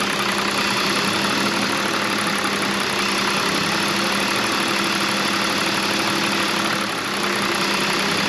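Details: 2001 BMW E46 325i wagon petrol six after coolant leak repair and lean-code vacuum leak fixes: steady even idle hum with a faint whir from the idle air control motor working, fuel trims coming down.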